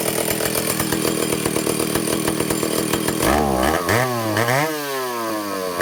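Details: Vintage Stihl chainsaw two-stroke, test run after fixing air leaks and fuel system, no bar and chain, carburetor high needle 3/4 to one turn out, target top speed no more than 10,000 rpm: steady high scream, then blips and falls cleanly off throttle, no bogging; running well.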